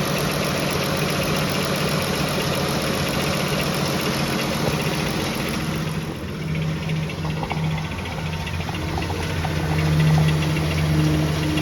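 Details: Pentastar engine at steady idle: quick, slightly uneven knock about three or four per second over a low drone, internal knock; after several second opinions, likely a piston wrist pin, not confirmed.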